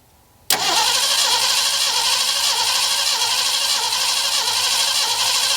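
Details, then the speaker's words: Ford Bronco first start in 12 years after timing set at TDC and new 8mm plug wires, fuel poured in carb bowl: fires and runs roughly about five seconds then dies; fuel starvation, pump not feeding carb. "Figured out that it just finished sucking up all the fuel that I put into the bowl off camera."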